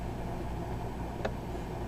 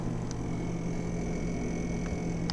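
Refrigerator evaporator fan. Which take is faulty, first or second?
second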